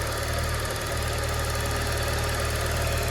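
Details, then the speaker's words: Used car idling after morning cold start, unused since previous evening, no throttle: steady low idle, even pulse, faint light tick over the hum, nothing irregular; engine fine, oil at normal level. "Yuk ya, tanpa injek gas, tanpa apa, mesinnya oke ya."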